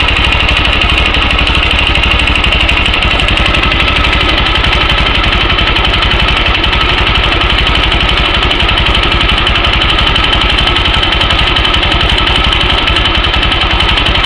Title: Стук в двигателе Yamaha YBR-125